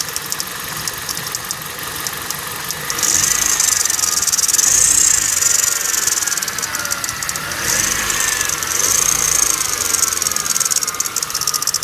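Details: 2009 Kia Cerato engine at idle with light, uneven ticking at about four per second; an internal engine knock whose cause is not determined.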